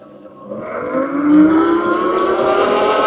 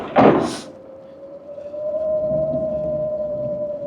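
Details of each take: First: Heybike Villain electric pit bike, 4.1 kW chain-driven mid-drive motor peaking around 4.6 kW, off-road tyres: motor whine climbing in pitch with speed over rough tyre hum; normal, mostly tyre noise plus some motor noise. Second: Heybike Villain electric pit bike with a chain-driven mid-drive motor, 4.1 kW peaking near 4.6 kW, while riding: after a thump, a thin steady mid-pitched whistle holds at one pitch; source not identified.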